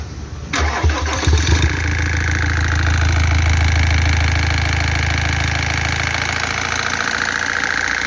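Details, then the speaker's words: 2014 Iveco Daily 35S14 diesel, 347,000 km, alternator belt removed: engine settles into an even idle with a faint rhythmic rattle from the front of the engine that persists; suspected tired timing chain tensioner or worn chain kit, not confirmed. "barulho continua agora a gente vai estar abrindo essa tampa frontal"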